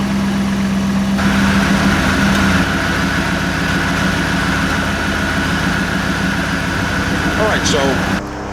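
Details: 1988 Chevy Camaro IROC Z28 with a clicking no-start, started on a jump pack: quick crank catches at once and settles into a steady, even idle with no misfire; 14.25 V charging, six-year-old battery condemned.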